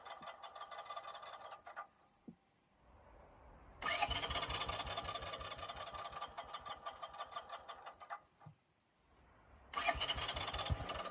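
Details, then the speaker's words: 1984 Honda ATC 200M three-wheeler, barn find stored 30 years, first start after oil change, fuel tank and petcock cleaning, new fuel line and filter, hand-choked; single cylinder catches in bursts then settles to even steady beat, no knocks or noises. "That sounded good. So it runs and I don't hear any noises, so that's really good."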